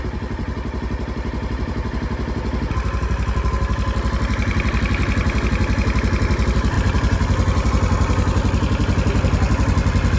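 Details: Polaris Ranger 900XP side-by-side that is very hard to start and has a loud motor noise. Compression was 125 psi on one cylinder and about 85–90 on the other. Even chugging at about four beats a second, slowly getting louder but never catching cleanly: a hard start.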